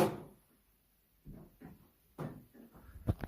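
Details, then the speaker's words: Quiet room in a house, a few irregular hollow thumps and knocks a second or so apart from behind a locked cupboard door; source unknown, never heard before. "I've come around to my elderly neighbors to check a post and I keep hearing a banging in that cupboard does anyone know what it could"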